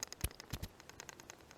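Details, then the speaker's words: Modlite PLH-V2 handheld flashlight shaken next to the microphone after failing a drop test; quick light clattery taps inside, which the owner believes is the battery, held only by springs and not pressed firmly in place. "whenever you rattle this you can hear a little bit of a rattle on the inside and as near as i can tell that's from the battery"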